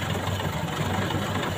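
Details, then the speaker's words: Four-cylinder engine at idle with one spark plug wire pulled so that cylinder produces no power: low, uneven, lumpy shaking pulse instead of smooth hum; misfire from dead cylinder. "oke kita lihat bagaimana getaran mesin pada saat salah satu silinder tidak menghasilkan usaha nah tuh getarannya seperti ini"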